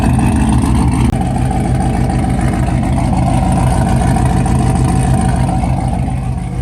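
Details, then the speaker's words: C7 Corvette V8 after cam replacement following failed cheap eBay lifters, first start after sitting; good oil pressure, no warning lights; deep steady rumble rising smoothly with throttle, no valvetrain ticking or tapping; normal idle and revving. "Good oil pressure, no lights. See how it sounds. Sounds good."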